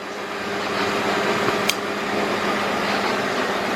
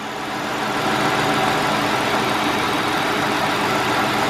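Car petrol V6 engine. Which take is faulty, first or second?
first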